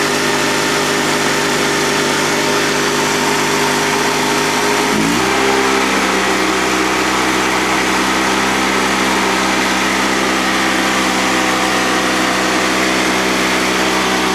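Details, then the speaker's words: Honda 3813 lawn tractor with a GX360K1 twin, run after sitting a year and a fuel pump fix: a smooth, steady hum that steps up cleanly to a higher, even speed with no knocks or misses, car-like. Normal running. "These things are so closely related to the Honda car engines, it's no surprise that it sounds like one."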